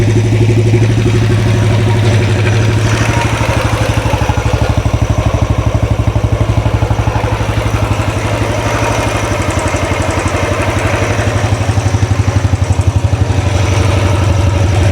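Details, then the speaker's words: 2013 Royal Enfield Classic 500 single-cylinder, first start after engine teardown: idle thump with loud mechanical clatter on each beat; owner wonders if rockers or pushrods, not confirmed. "Hmm, sounds very noisy. Anyone know what that noise is? Is it um rockers, push rods? Something else?"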